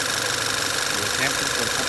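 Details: 2012 Volkswagen Tiguan after PCV (oil separator) module replaced with aftermarket part and O-ring changed: steady, even idle with smooth hiss, no whistle or stumble; earlier whistling, rough idle, P0507 and strong crankcase suction.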